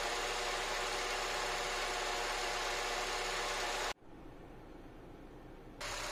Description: Here my video regarding what main cause my car rattling in neutral and noise during drive (paddle gas being press)